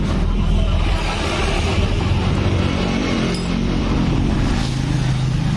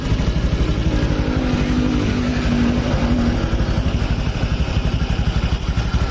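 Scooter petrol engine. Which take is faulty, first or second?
first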